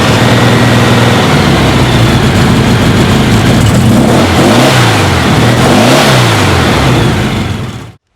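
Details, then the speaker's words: VW engine after new CB Performance graphite compression exhaust manifold gaskets: a deep, even idle with two clean revs that settles back, with no ticking or puffing from the exhaust. The earlier exhaust-manifold tick is fixed. "that sounds much better no more tick tick tick tick"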